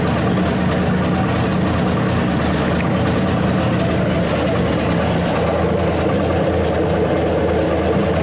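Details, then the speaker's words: 1927 Hudson revived after seven years unused, idle being backed down: old straight engine settles into a steady, even low idle with no misses or knocks, running cleanly; points may still need setting, transmission not yet tested. "I'm gonna set the points kind of dolls car birds in a little maybe but it lives it is alive wonderful move under its own power"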